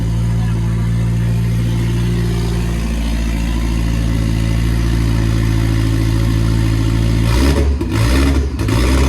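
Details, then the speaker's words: Nissan S14 idling steadily with a loud, deep, even rumble through open headers and no stumbles, after the fuel pump was checked for priming; the earlier idle problem is now solved and the idle is normal. "It's idling? It wants to. That's good. That's a good sign."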